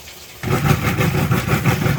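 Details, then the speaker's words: Kenmore 80 Series washer after broken motor coupler, motor swapped from matching machine, small load on agitate: motor settles into even rhythmic churning swish, no knocking or grinding; works perfectly. "And as stated, it was going to work perfectly, and indeed it is. So this is going to agitate."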